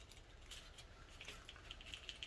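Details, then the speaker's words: 2010 Chevrolet Silverado 1500 4L60E transmission teardown: the removed lock-up solenoid is shaken and gives a light, quick ticking rattle, showing the plunger is free and the solenoid is working normally. "you should hear that rattling around in there that lets you know that that is free and functioning"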